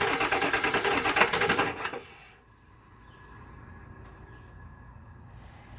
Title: 7.3 PSD crank no start